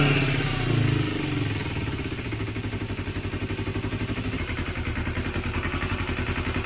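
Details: Motorcycle just started after a second carburetor cleaning with a home-made cleaner (cables not yet fitted; it previously died on quick throttle): fires and settles into an even, pulsing idle with steady firing beats; normal running.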